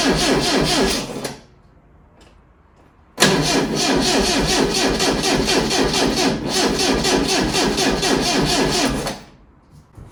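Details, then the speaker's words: Lotus Elite laid up ten years in a barn, first start attempt: two bursts of fast, even cranking about two turns a second, never catching; crank no start. "Nope. So you need some further investigation. I mean, it was a bit of a tall order, hoping that it'd start after so many years, but let's have another little look"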